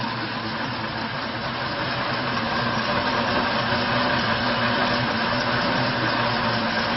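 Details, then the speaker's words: Bayliner 2252 Express hardtop with V6 engine, started without throttle and idling: steady, even, smooth low rumble with no misfires or stumbles. The engine runs cleanly on all cylinders. "startet som i kan høre så er der ikke nogen misl for motoren går rigtig fornuftigt"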